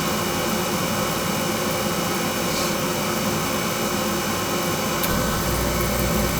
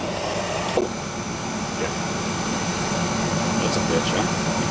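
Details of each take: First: Carlin oil burner blowing black soot, restarted with a longer coupling suspected as needed: steady loud roar with a rough, uneven rumble underneath; still running rough, pump pressure check next. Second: Carlin oil burner previously blowing black soot, after adjustment to a reading of one, burner found not breathing: steady, even roar with no surging, puffing or rumble; now running smoothly.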